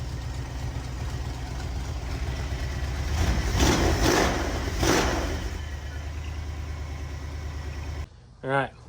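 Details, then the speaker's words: School bus after power steering installation, idling after running a while: steady low rumble, pump whine gone except slightly when turning; power steering sounds quiet and healthy. "after running for a bit that pup quit it's whining it only does it a little bit when you turn other than that this sounds good I think we're going to live with it"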